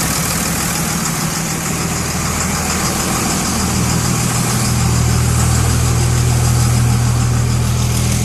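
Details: 2002 Cummins diesel at idle: steady idle with a regular knock about three per second, heard best near the dipstick toward the end; cause not pinned down.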